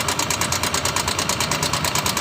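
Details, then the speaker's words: Honda Vario 150 scooter, noisy engine for about a week, at idle: fast, even metallic clatter of about seven ticks a second; mechanic suspects cam chain or valve rocker arms, engine not yet opened. "Dan analisa saya ini di bagian keteng atau mungkin di bagian pelatuk klep yang mengalami kendala kerusakan."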